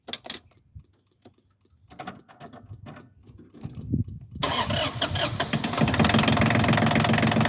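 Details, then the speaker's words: Massey Ferguson 1220 compact tractor diesel, started right after an oil change (about 3.5 quarts): handling noise, then it catches quickly and settles into a steady, even idle with no roughness. Sounds better; normal idle. "Sounds better. That sounds better, doesn't it?"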